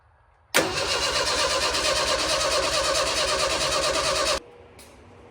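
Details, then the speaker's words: 1965 stretched Jeep CJ5, rewired, cranking steadily at about three turns a second for four seconds without firing. Crank, no start; owner later found two wires hooked to the coil that should go to the distributor. "if I was to tell you that I had any idea to 2 minutes ago when I was turning that key over why she wasn't starting or anything if I was to tell you I had any idea I'd be ly"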